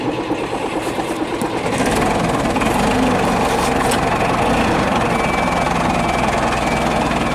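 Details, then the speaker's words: Forklift after brake repairs, sluggish battery, before throttle pedal adjustment: rough uneven running with loud clattering drone and warning buzzer sounding; engine keeps stumbling, cutting out, later fixed by adjusting throttle pedal so it idles correctly. "you can tell me we need to sort this thing out about cutting out"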